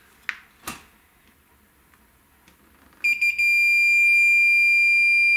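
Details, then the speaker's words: Neotec NT-2701 27-inch arcade monitor chassis with a ticking fault: meter continuity test on capacitor C450 removed from circuit gives a loud continuous beep, a dead short; C450, melted and burned, is the culprit. "dead short so c450 is our culprit I'm going to have to see if I can find a replacement for that"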